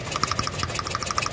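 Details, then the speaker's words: 2016 VW Saveiro Robusta at idle, plug leads pulled one by one: rapid sharp spark ticks about thirteen a second while engine speed stays unchanged, showing those cylinders aren't firing; engine shakes and lacks power; leads give good spark. "vendo? Esse aqui não mudou a rotação do motor. Agora aqui, o outro aqui, ó. Esse também não mudou o funcionamento do motor, tá vendo?"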